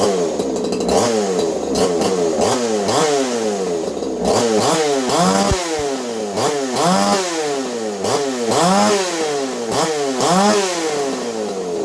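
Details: Craftsman 2.8 (Poulan 295/4620) two-stroke chainsaw with modified muffler (baffle and screen removed, 5/8-inch-bore tube welded in), recorded on phone audio: idles then revs in repeated sharp blips with a loud open exhaust note; runs clean, normal.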